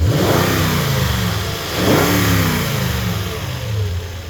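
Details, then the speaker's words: 2021 Toyota Tundra 4x4 lifted, pre-purchase inspection: smooth, even rise and fall in pitch as revs climb and settle, no knocks or rattles; engine sounds healthy, though a little smoke noticed. "there engine sounds good"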